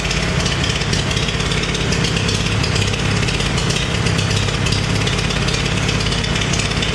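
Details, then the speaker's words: Farmall 350 diesel tractor after rebuild, block warm but temperature gauge low (thermostat suspected): heavy low clatter, uneven lumpy beat, apparently missing on a cylinder at idle; cracking No. 1 injector didn't change tone; fires on all four when lugged in 5th. "Ran around the parking lot, had it in 5th gear, and I just kept really lugging it. And when you really would lug it, it would kick in on all four"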